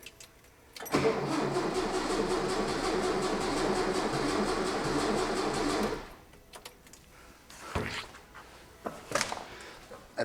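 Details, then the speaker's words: 1966 VW Fastback engine, first start after reinstall, car off road since 1979, big separate battery connected: slow, heavy labored starter churning about three beats a second for five seconds, never catches; owner wonders if it's drawing fuel and if voltage is reaching it. "starter is not happy are we drawing fuel maybe"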